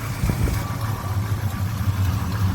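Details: 1966 Chevelle SS clone with 327 small-block V8 and 4-speed: deep, even burble at idle with a steady rhythm and no knocks or ticks; healthy normal idle.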